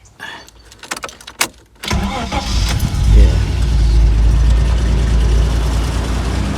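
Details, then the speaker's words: Ford Sierra Mk1 4x4 2.8i at about two degrees outside: uneven cranking bursts, then catches and settles to a low steady idle; hard cold start, owner suspects insufficient fuel or poor spray. "okay it's not giving enough fuel um it just needs more because i'm in what i don't know it's about two degrees out at the moment"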